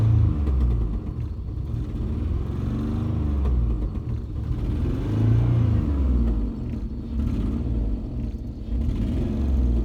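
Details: Jeep Liberty engine running rough, with a deep, lumpy rumble surging every second or two and no metal-on-metal knock; loud, shaking hard, smoking, dies at idle. Owner considered a misfire, cause unknown.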